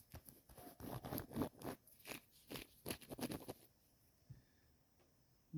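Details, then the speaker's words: LS MT125 compact tractor with a blown transmission: a loose bearing from the lower gearbox section turned by hand gives uneven, gritty crunches and clicks; a locked-up, failed ball bearing. "but this is the one that's in the lower section of the uh gear boox it's just locked up both these both these bearings are just like hosed"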